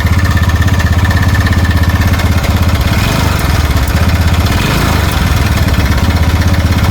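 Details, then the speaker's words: TVS Ntorq 125 scooter: heavy steady clatter at idle, like a loose part banging inside; the starter one-way clutch nut has worked loose and is to be tightened to fix it. "एकदम engine का sound बे ना कोई बर्तन भारा फूट रहा है उस तरीका से इंजन का साउंड है सिर्फ हम लोग का इसका भीतर अभी बंद कर दे र सिर्फ हम लोग का इसका भीतर जो वनवे होता है वनवे का नट खुल गया है वनवे का नट टाइट कर देंगे"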